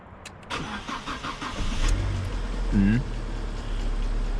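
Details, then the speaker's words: Alfa Romeo Mito on a cold start with a 5-year-old battery: the starter turns slowly and unevenly for a long time before it catches, and voltage drops to about 9 V while cranking. Slow cranking from a weak battery, fixed by replacing it. "if you are listening to the how much the engine crank it crank for very long time before it start"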